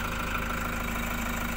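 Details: 2018 Toyota Hiace Commuter after a cranking no start was fixed (earlier scanner lost communication, B1499 ECU-BCM): steady, even idle, smooth low rumble, no misses or knocks, healthy.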